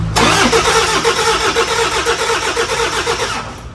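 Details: 2005 Toyota Fortuner diesel, brought in for heavy white smoke on morning starts. First start after a set of injectors and return-line rings were replaced: a short crank catches cleanly, then an even, steady clatter at idle with no misses. A healthy start.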